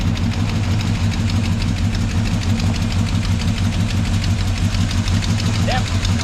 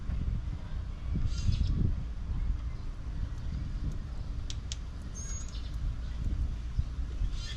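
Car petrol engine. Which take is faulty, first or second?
first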